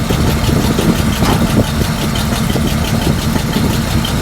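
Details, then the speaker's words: 1941 Chrysler flathead six coupe, no coolant in engine, untuned: uneven, lumpy idle with irregular low thumps and a stumbling rhythm, engine rocking; rough idle, low oil pressure, owner suspects timing is off. "It doesn't sound bad. Let's give another shot. Yeah, it's it's rocking a little bit, but let's hit the throttle."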